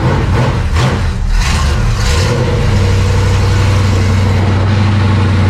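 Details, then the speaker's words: Race car after new fuel pump install, fuel line checked clear: heavy steady cranking with uneven low beat, never fires; crank no start because the fuel shutoff was closed. "Ran out of gas. Ran out of gas? Okay, so something. Oh, wait, oh, the gas is off. Oh. That'll do it."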